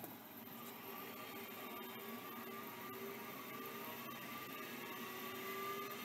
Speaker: beautiful sounds like it's working